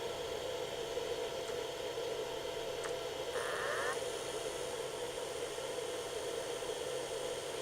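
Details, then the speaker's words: $20 SEGA Dreamcast with a burned CD test disc (an old PC-made 2000 disc) and lid closed: quiet hiss, then a short rising whir as the disc spins up and settles; normal disc spin-up. "It does start spinning up, and there's this controller, the cheap no-name one."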